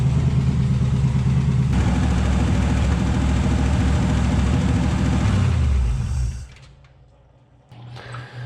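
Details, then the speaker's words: Warmed-up 283 V8 in a 1967 Chevrolet Impala with Powerglide, sitting since 2005: steady, deep, even idle before shutoff, sounds okay; earlier slight lifter tick, no funny noises or smoke. "Well, we got a little heat in her. She sounds okay. I think I'm gonna call her good for the night."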